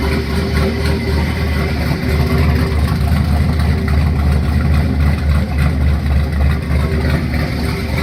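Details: 1972 Nova with turbo LQ9 V8 on its first start: deep, lumpy idle holding steady and even, with no knocks, ticks or misses; sounds healthy.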